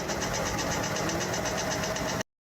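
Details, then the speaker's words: Cadillac Escalade 6.2-liter V8: quick, regular metallic clatter of clanking, rattling and knocking over a steady idle, described as something a vehicle this new shouldn't make; engine knock, cause unknown. "How is a Cadillac V? That thing ain't even old enough to be sounding that all that clanking and rattling, knocking, the motor knocking."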